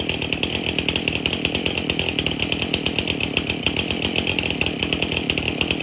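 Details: Stihl MS271 chainsaw, hard to start, suspected bad fuel; after tank found clean and fresh mixed fuel added: crisp even buzzing beat with clean pickup, no sputter or misfire; now idles and revs, runs pretty good.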